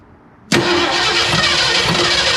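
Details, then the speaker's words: 1961 Ford Unibody truck with 1968 Mustang 302 and C4 automatic, first start after 29 years sitting, oil down the carb: steady fast starter whirr with one faint firing cough; not starting, owner thinks it needs more fuel. "oh whoa did you see that should I call I coughed again caulked again but better hold on is she that thirsty I mean worst case we flood it but I think she I think she just needs more fuel"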